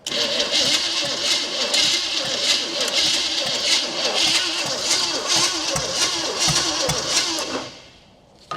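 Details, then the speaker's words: 1972 Chevrolet Chevelle 350 V8 that had sat since 1982, cranked on its old points: starter churns about three beats a second with no catch or firing. No spark is suspected, and the points were then filed. "Doesn't sound like we're getting spark, but I'm going to go ahead, mess with that distributor for a second, see if I can file the points just a hair, and get some spark in."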